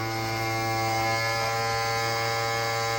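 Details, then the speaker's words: RCA SJT 400 CED player at first power-on after purchase, load indicator lit: harsh, steady buzzing racket that holds; mechanism seems jammed. "l which means load making a really awful racket which i'm sure it's not supposed to be back in something might be very broken uh okay"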